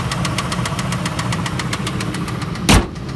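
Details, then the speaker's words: Ford Expedition V8 idling with a sharp, steady rod knock about seven times a second from a spun bearing, with the coil and injector for that cylinder unplugged; engine needs replacing, not bearings. "but this is what it sounds like if your car is doing this you have to replace the engine you need an engine forget about trying to put bearings on it or anything you need an engine this is like death already"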